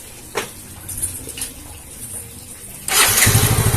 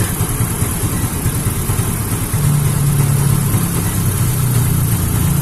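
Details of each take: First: Yamaha Mio J fuel-injected scooter after fuel pump IC problem and faulty spark plug cap addressed: a few quiet clicks, then catches at once and settles into a steady, even idle, fuel pressure holding at 40; clean, healthy start. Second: Yamaha Mio J fuel-injected scooter that dies suddenly, traced to a failed fuel pump IC caused by a faulty spark plug cap; charging about 14.2 V; rough, wandering idle as fuel pressure keeps dropping, hard to rev. Unstable idle from weak fuel pump.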